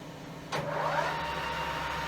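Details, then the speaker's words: 1980s Colchester Master 2500 lathe after restoration and reassembly, headstock with symmetrical straight-bladed oil pump impeller, running after only a single damaged gear was found; spins up quickly to a smooth, even hum, no knocking or rattle, headstock gears healthy. "and thank God this is how it should sound this is such a relief knowing that it is only this single gear while the rest of the head soog is in great shape"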